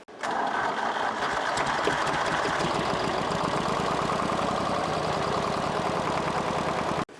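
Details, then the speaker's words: 1964 Lamborghini R2 diesel tractor after bleeding injector lines; rough uneven chuffing for several seconds, nearly firing without settling to idle then cutting out, air bubbles suspected still in fuel: stumbling start. "just crank it over see what happens think we're still dealing with air bubbles running it should get them out"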